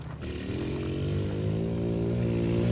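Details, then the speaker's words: Tao Tao 110 ATV after charging the battery: small single pulls up smoothly with an even buzzy note that climbs steadily, no misses or popping; running healthy. "Oh, yeah. You're running good now."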